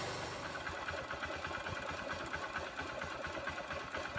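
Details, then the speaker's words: Honda CG 150 motorcycle, battery fully discharged by key left on overnight, jump-started from car battery: steady even single-cylinder idle with a light mechanical tick on top; engine settled, normal idle. "tá em marcha lenta mas só acelerar aqui vai"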